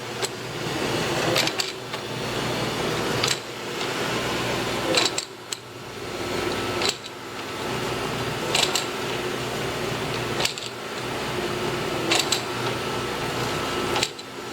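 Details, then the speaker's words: Grizzly G0763 6"x18" automatic surface grinder, automatic y-axis table feed: steady motor hum with a soft clunk about every 1.75 seconds as the table hits its stop and reverses. Normal automatic traverse. "so the table the y-axis is currently moving out until it hits limits which over here over those is mainly hit that right there now comes back the opposite direction"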